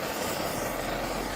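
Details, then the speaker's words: 1930s Primus 70 paraffin pressure camp stove, restored with new jet and running on Coleman fuel, possibly overfilled. Steady, even hiss-roar without sputtering or surging; residue at the cap and owner suspects the cap seal needs replacing. Normal burner roar. "it's working can you see that I'll get you in place in a minute actually working look how about that then"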